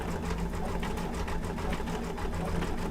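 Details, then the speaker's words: Embroidery machine after quick rethread, which had been off, likely not tucked into tension discs: even stitching about ten per second over low motor hum, smooth and steady; stitching normally, problem solved. "Sorry about that. Yeah, problem solved. So just a little off on my threading."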